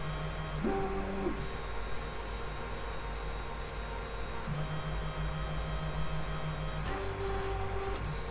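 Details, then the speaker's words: 3D printer X carriage with new webcam bracket, during auto levelling: stepper tones rise and fall over a coarse low rumble; owner suspects a loose linear bearing on the smooth rods, possibly a ball out, recently greased. "know this noise, I'm pretty sure it's the linear bearings rotating in at least one of the bearings, and it's so bad it's making me think that somehow one of the balls has come out and they're very loose."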